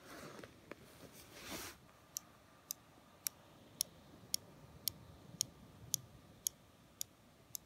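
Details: 2016 Razer Blade 14-inch laptop; sharp, bright clicks roughly twice a second, intermittent, seemingly only when the laptop is tilted; a strong buzzing was heard under a heat sink, cause unknown.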